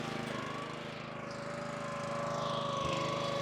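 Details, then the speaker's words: Lee Boy tack wagon engine running steadily as the bypass valve is opened for circulating CRS1 tack; the engine tone changes and rises slightly under the shifting load, normal running. "you can hear the engine start to change tunes on us."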